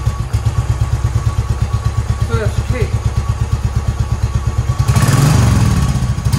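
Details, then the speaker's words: 2010 Royal Enfield Bullet Electra EFI single, 965 miles, unused for years, first start after fresh fuel, replacement battery and fuel leak repair: steady, even slow thumping idle with a throttle blip, a bit smoky, runs nice; normal idle. "runs nice"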